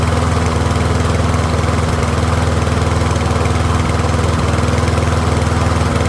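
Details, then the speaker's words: Troy-Bilt rear-wheel-drive mower with Briggs & Stratton engine, after ultrasonic carb cleaning, warmed up and left running a few minutes on partial fuel, pretty quiet: smooth, even drone at constant speed, no surging or sputter; running healthy. "So, I'll let it run for a few minutes. It is a pretty quiet mower."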